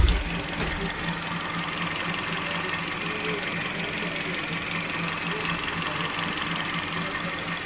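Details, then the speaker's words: Kia Sportage 3 2.0 G4KD after engine overhaul that cured a knock, first start, recorded from underneath while warming up: even, steady idle with smooth hum, no knock or tapping, dry and quiet; normal idle. "Вот так он работает снизу. Прогресс. Все сухо. Все тихо."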